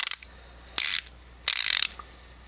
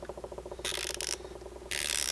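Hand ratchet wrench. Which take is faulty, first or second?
first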